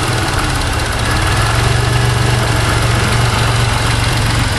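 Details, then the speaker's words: 1991 Chrysler LeBaron convertible 3.0 V6, cold start after nearly 7 months sitting through a Minnesota winter, warming up: steady low even idle with no lifter tick standing out, quieter than usual after sitting; normal idle. "usually the lifters on these three o's make a little bit more noise too after they sat but wasn't too bad"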